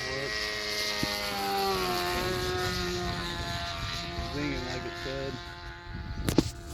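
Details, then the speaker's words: Rebuilt Sig Kougar engine on its first run: the high buzzing note drops in pitch and wavers mid-run, then recovers, sagging as it leans out a little; earlier it sounded like it was running rich and the owner suspects it needs a bearing. "But now it's sagging cuz it's leaning out a little bit."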